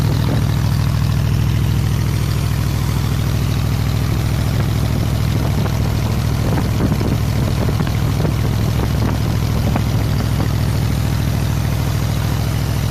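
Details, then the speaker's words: 302 V8, warm at about 158°F, after grounding the four unused plug wires to the block to stop arcing: even, steady idle with no ignition crackle or snapping, now healthy where it had arced badly before. "Before, it arced like crazy, but I fixed that now since I ground those 4 plug wires to the block. But listen, I'll let you listen here."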